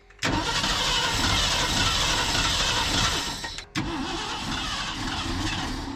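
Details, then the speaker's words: 1990 Ford F600 carbureted engine just after fuel pump and carburetor work, with fuel spraying from the pump's side cover: cranks, catches, stumbles and settles into an uneven, lumpy idle. Rough idle, cause not pinned down. "oh she's idling she is not the happiest but she was"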